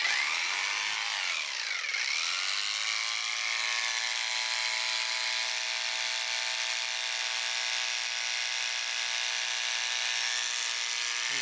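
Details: Wahl Lister Stablemate livestock clipper after servicing (cam bearing and gear replaced), blade tension backed off five turns, blade not even warm: steady, even high-pitched buzz with no rattle or labouring; runs smoothly and healthy.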